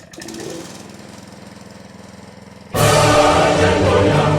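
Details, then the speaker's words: Honda GX160 single-cylinder engine revived after repair, choke on, fuel on: soft fast thumping, then it catches and runs loud and steady on the first try; healthy. "Holy buckets! It works. And boy, that showed right up. It just ran."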